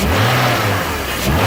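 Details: BMW E46 330Ci M54 revving after VANOS rebuild with only the piston rubber and Teflon seal rings changed: busy metallic rattle over the exhaust note, much louder than before the rebuild; source unknown.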